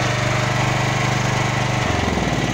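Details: Champion 9000-watt dual-fuel electric-start generator that had been starting then stalling with a loud backfire, running after the fix; even steady thrum shifting smoothly to a new speed partway, no misses or backfires.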